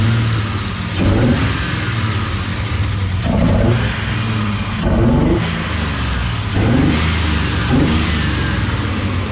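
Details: Chevy S10 V8 build after dyno tuning and PCM swap, warmed up, mic near exhaust; crisp throttle blips about every 1.5 s, revs rising and falling cleanly with no misses or popping heard before.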